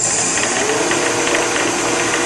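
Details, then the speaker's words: Shopsmith after a DIY PowerPro upgrade, first run, set at 3450 RPM. A steady smooth whir carries a light irregular bearing-like rattle, caused by uneven tension between the two drive belts. The belt tension is to be adjusted at this speed. "Now hear that bearing rattle? That's because the tension between the two belts are not"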